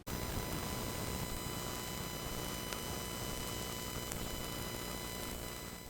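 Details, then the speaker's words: Tascam M3700 analog mixing console connected to a computer. Digital communication noise leaks into the console through a ground loop via the TS/TRS cabling, heard as a constant hiss with thin high whistles and occasional clicks. "these are very noisy pieces of equipment when they're talking to each other and this communication this computerized digital communication noise sounds like this"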